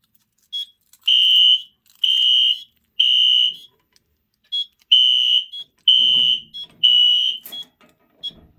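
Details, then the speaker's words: Newly built fire alarm system board, first pull station activation: loud, high horn blasts in a three-pulse pattern with a pause between groups. Horns and strobes are synced, code 3, no audible silence; normal evacuation code. "They are all obviously synced together, and no audible silence. No audible silence. So the strobes and the horns go out together, and they're code 3, of course."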